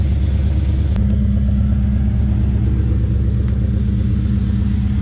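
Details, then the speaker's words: LS1-swapped Nissan Patrol idling after exhaust leak fix: deep, even rumble under a thin, steady high squeal from a worn idler pulley bearing; the belt was sprayed with canola oil to rule it out, so the pulley needs replacing. "all you really hear is the is the idler pulley um squealing the bearing squeal"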